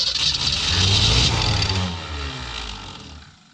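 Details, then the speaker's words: 1966 Mustang: the carburettor top gasket had been installed wrong, leaving a gap, and was refitted; cranked on starting fluid. It catches, revs roughly for a second or two, then dies. The owner says it is flooding out. "all right let's give this a little go with some starting fluid i don't know if it's going to help much because it's more or less flooding out on us but it may help"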